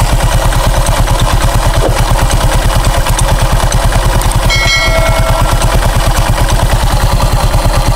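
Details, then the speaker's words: Honda Click 125 scooter at idle with the CVT cover off during full maintenance: steady, even pulsing around three beats a second with a light clatter, no grinding or squeal; the pulley sounds quiet. "Tahimik naman yung ating pulley eh."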